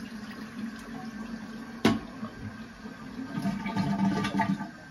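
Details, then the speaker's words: Toilet that ran continuously after flushing, after fitting a new Fluidmaster 400H fill valve: sharp flush rush, then a steady quiet refill hiss that shuts off as the float rises, with no squeal or endless running; works normally. "You can hear it shut off as it comes up and turn on when it goes back down."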